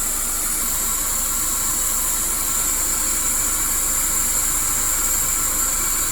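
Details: Toyota Corolla (All New/Great Corolla) radiator fan on high speed: steady, even rush of air with no ticking, rubbing or wobble; normal radiator fan high speed.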